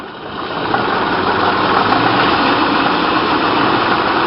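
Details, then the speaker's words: Low-mileage 1927 Packard 443 Club Coupe, still cold, revved up a little from idle: revs rise with rough, uneven pulsing that breaks up; owner attributes the sputtering to the engine being cold. "can hear the sputtering is from being cold."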